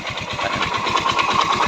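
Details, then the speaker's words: Yamaha Mio Soul i 125 scooter at idle; rapid even knocking over a buzzy single-cylinder idle, tied to engine speed; owner blamed the CVT pulley, but the mechanic diagnoses a worn connecting rod needing an engine overhaul. "Okay pag ganyan. Tunog ah connecting rod yan. Overhaul to mga kaibigan."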